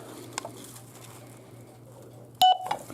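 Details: Chtoocy CH-MR2022-11 metal-detecting driveway alarm USB-powered receiver: quiet room hum, then a short sharp electronic chirp with a fainter second blip as the receiver is switched off normally; battery icon flashes to show it's off.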